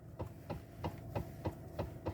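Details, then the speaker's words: 2013 Toyota Avalon, engine idling, inside cabin: dull knocks about three per second as the steering wheel is rocked side to side, worse when driving; failed electric power steering column damper coupler (45254-28040). "this is the sound from the vehicle when you turn the steering wheel I mean you move sideways and even it becomes worse when you drive"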